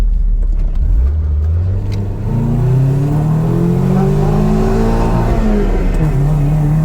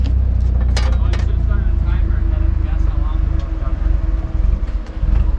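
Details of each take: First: KA24DE-swapped Nissan 300ZX after a new fuel pump (fuel previously seemed to cut out before redline): pulls cleanly to high revs without stuttering, then drops back; an estimated 20–30 hp gained, normal acceleration. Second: Nissan 240SX, fuel pump disconnected to bleed fuel pressure before removing lines: steady petrol idle sags, stumbles and dies quickly; finding: engine stalling from fuel starvation.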